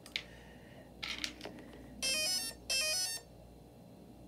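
Two short bursts of clean high-pitched beeps at power-on, the usual startup tones of a healthy speed controller.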